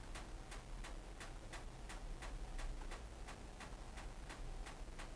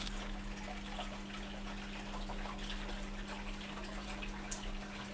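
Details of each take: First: Hotpoint NSWM 1043C 10kg inverter-motor washing machine in spin: sharp, evenly spaced ticks nearly three a second over a low hum. Suspected cause is a spring inside that has moved and is ticking against the side. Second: Hotpoint NSWM 1043C W UK N 10kg inverter-motor washing machine on a test wash: steady low drain-pump hum at one pitch with water trickling; water nearly out after two minutes, draining normally.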